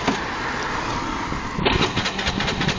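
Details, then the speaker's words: Honda Benly 110 scooter, nearly 60,000 km, stalled on an uphill while riding: the starter whirs and the engine turns over with uneven chuffs but won't start. "앵앵앵거리고 걸리지가 않았습니다."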